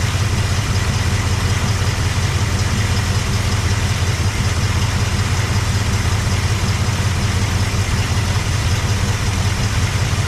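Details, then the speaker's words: Cadillac 390 V8 with a swapped-in Edelbrock carb replacing the 4GC, glitter found in engine oil: deep, steady idle, no knocks, ticks or misses; oil pressure about 20–27, oil looks terrible; normal idle. "it sounds [Music] good it doesn't sound bad at all but that oil looks terrible"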